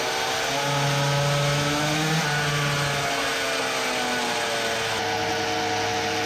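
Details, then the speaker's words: Samurai 40cc two-stroke with new cylinder on dyno: revved freely unloaded but flat strained buzz sags under load; 3.13hp versus previous best 3.63hp, sputtering gone. "fixed it what the...it does not rev?!? it cannot be.... ok so this is what happened... so i was again wrong this is the curve with the new cylinder 3.13hp previous best was 3.63 should have guessed that it won't rev under load like it did freewheeling"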